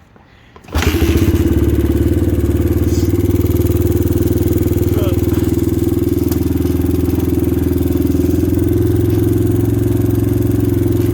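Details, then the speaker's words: 2000 Honda XR100 single-cylinder, completely ice cold, top end blown with low compression, smoky: rough, uneven idle with a dull knocking slap under the thump; piston slap, before BBR 120 big bore rebuild. "As you can hear, it has a little bit of piston flap, and yeah, it's a little smoky."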